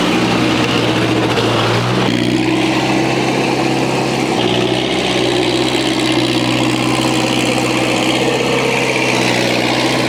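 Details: International Harvester 674 tractor engine after a new clutch, pressure plate and resurfaced flywheel were installed: catches and settles into a steady, even idle with no knocks or grinding; healthy after the work.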